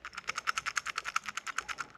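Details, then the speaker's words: C4 Corvette right rear wheel hub, removed old unit spun by hand: rapid dry clicking of about eight to nine clicks a second, slowing as it coasts down. Worn, dry bearings, suspected of the noise heard when shifting into gear or reverse; hub replaced. "you can kind of see the bearings but you can also hear how dry they were listen to"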